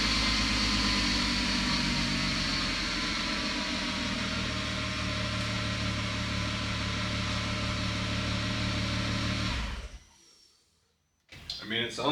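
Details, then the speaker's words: MK4 VW Golf VR6 being stripped of its wiring harness for a mid-engine Civic swap, restarted after a plug was pulled: steady even idle, smooth unbroken hum, no misses or knocks for ten seconds before shutdown; running fine, no new codes. "like it's running fine."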